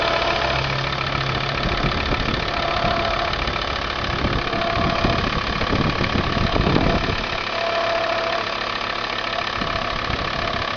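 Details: Volvo V70 diesel idling with a steady, fairly quick knocking rhythm and an intermittent faint tone above it. The noise is unidentified.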